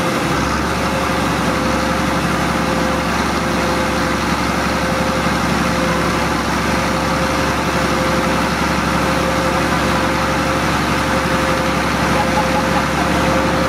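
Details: MEP-006A military 60 kW diesel genset, first run after sitting 3+ years, enclosure doors open, circuit breaker off: even, steady diesel drone, no knocks, misses or surging. Running smoothly; frequency reading not displaying correctly.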